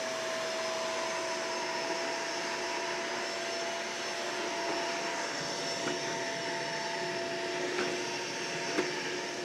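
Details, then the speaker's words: Shark vacuum picking up its first cup of baking soda from the floor, bin not full: steady roar with a faint whistle that drops and shifts near the end as the powder loads the machine. "oh i don't know if you can hear that in the microphone but after about one cup the bin's not full"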